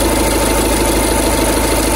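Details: 2011 Skoda Superb 2.0 diesel, engine CFFB: idle with a steady low rumble and a faint repeating thump/scratchy noise at the front belt drive; failing auxiliary belt tensioner, replaced with new tensioner and belt.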